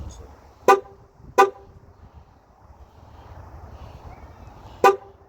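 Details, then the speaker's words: 2016 Dodge Challenger 5.7 Hemi after starter replacement: start attempted with hood open, which blocks starting. Three sharp horn blasts, no cranking at all; horn sounds on start attempt because the hood is open. "Nope. Because the hood is open. That's why it's not starting."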